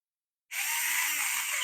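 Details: Small brushed motor on a Revell Lion RC model after repair, brushes spread back into place, run on 2S (3S had burned it out); starts instantly, no twist needed, spinning up to a clean, high steady whine with no stutter or scraping; runs normally.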